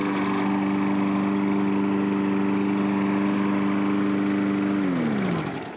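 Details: Curb-found self-propelled Craftsman mower after carburetor cleaning and reinstall; steady even tone without hunting or surging, then winds down smoothly at shutoff: runs really well, normal running.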